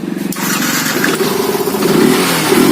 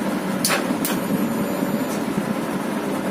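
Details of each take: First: Yamaha FZ fuel-injected motorcycle with missing problem, after malfunction light cleared: engine picks up cleanly and revs smoothly with a steady rising note, no misfire; normal revving. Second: Yamaha FZ fuel-injected bike with a missing problem. Starter clicks and the engine catches, but the throttle blip gives only a muffled, flat rise that sags back; it won't rev freely.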